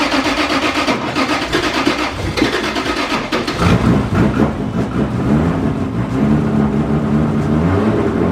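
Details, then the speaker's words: Freshly built Toyota 1.5JZ with all-new wiring and DW fuel system, first start with oil but no coolant: brief crank catches at once into a strong, even idle, no knocks or misses; started first try, ran great. "all right so the car ran started first try ran great and uh we didn't run it that long because we don't have water in it yet"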